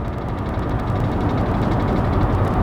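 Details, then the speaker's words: 2020 Ford Raptor under 4,000 miles with check engine light, at the speed limit on the highway: heavy low drumming and fast rattle as the truck shakes hard; cause not yet found. "here we're going the speed limit and I mean you can hear just everything vibrating around and again this is more comfortable than it was yesterday for sure"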